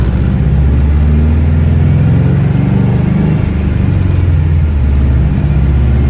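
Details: Car on dyno at full throttle after new ignition coil fitted on cylinder four; deep even roar with no breaking up or hesitation, misfire fixed; about 323 wheel horsepower and about 300 torque.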